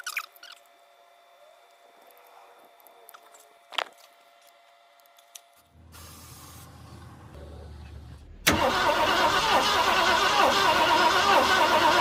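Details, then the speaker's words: 1967 Ford Galaxie that sat 35 years, with points just changed after an earlier no-spark check: the starter cranks about three turns a second with uneven pops and smoke, but it won't catch. Popping while cranking. "see a smoke coming from there it's working yeah I can hear it pop"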